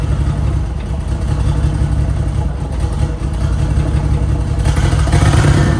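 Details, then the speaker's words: Holden VL turbo project, start after rechecking ignition timing: engine fires and settles into an even low rumble, revs picking up cleanly; running and idling on its own with timing about right, no misses or knocks. "You wouldn't read about it, but it's running. It's idling. The timing is about right."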